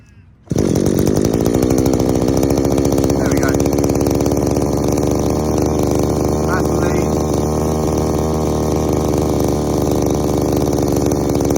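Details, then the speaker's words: Strimmer two-stroke powerhead after carb adjustment, high-speed screw turned in from five to one and a half turns out, idle raised, warming up: steady high-revving buzz, heavy and blubbery; still running way too rich on the high. "so a couple of things way too rich on the high so even at one and a half turns out on the high it's way too rich"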